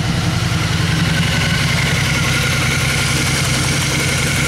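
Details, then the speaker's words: 2002 Honda Magna, in neutral, idling after carburetor rebuild and cleaning, new fuel and new gas; even, steady idle with a smooth low burble and no miss, knock or hunting; normal idle. "okay got the Honda Magna pulled outside here let's go ahead and start it up and hear this baby purr"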